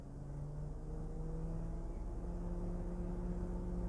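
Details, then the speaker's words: 2006 BMW E60 electric cooling fan actuated via a LAUNCH X431 scan tool test: quiet, steady low hum with faint even tones; fan working normally. "I don't know if you can hear that but that's testing the fan so that's idea if you've got a you're not sure if the Fan's working or anything like that you can just there we go we can shut it off"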